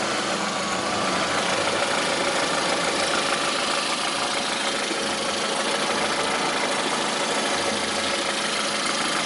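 A rapid, fairly regular tapping rides over a hissy idle at a steady rate; the engine is knocking at idle, cause unknown.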